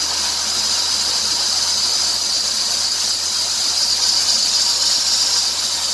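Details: 2003 Dodge Grand Caravan 3.3L, 372,528 miles, idler, tensioner pulley and power steering pump already replaced: steady high hiss with thin squeal, louder toward 2000 rpm; drive belt suspected.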